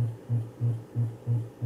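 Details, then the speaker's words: Gradiente HA-II hi-fi power amplifier clipping near maximum power: low buzzy hum bursting about three times a second as the output is modulated by the unregulated supply voltage, so ripple comes out; it disappears when the level is lowered. "a onda de saída de um tempo para ficar modulada pela atenção da fonte então por isso que aparece o rimou saindo aqui ó"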